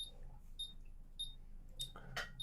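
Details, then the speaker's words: ZX Spectrum issue 4S board on test bench running the test routine after its original ULA chip was refitted: short high beeps about every 0.6 seconds over a faint low hum; board runs perfectly, needs no repairs. "So you can see it's running perfectly now. That's the most important thing."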